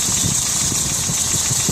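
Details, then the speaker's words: 1988 Toyota 4Runner, 22RE four-cylinder, after a cranks-but-no-start repair including clamping a missing airbox hose: steady, even idle pulsing at a regular beat under a hissy background, no misses or knocks; normal idle. "yeah she stopped and she wouldn't do that before yeah anyhow so as I said I'm not gonna try to really talk over the engine it's not that loud"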